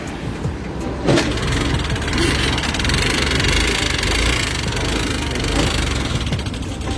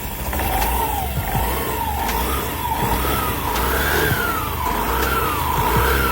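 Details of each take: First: Honda Activa 6G BS6 scooter, 24,000 km, previously run without oil, kick-started since the starter is dead: rough, clattery mechanical racket from valve damage. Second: Honda Activa BS6 scooter, 24,000 km, run without oil, after engine repair, new air filter and clutch cover refit: engine swells through quick blips, firing smooth and even with no knocks, normal revving.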